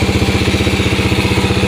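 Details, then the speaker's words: Yamaha Moto-4 Champ ATV first started on a jump pack, fitted with an SDG 110cc pit bike intake manifold and a Honda clone carb: single cylinder thumps steadily at about ten beats a second with no misses; runs pretty good. "so we got it running actually runs pretty good sounds pretty good not bad eh"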